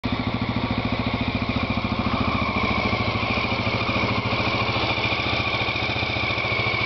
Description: XL600R engine first start after rebuild